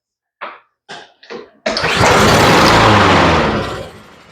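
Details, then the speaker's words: Honda push mower, wouldn't start: weak pull-start coughs, catches, runs rough about two seconds then dies; won't run with choke open; very low, possibly old gas, clogged carburetor suspected; engine starts but stalls. "so it's got something going on and with choke open it won't run at all and for a minute there I had it fluttering up and down"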